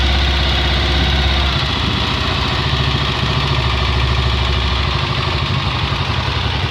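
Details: Honda XLR single-cylinder at idle with an uneven, lumpy beat and an irregular mechanical rattle over it; abnormal internal engine noise, cause unclear.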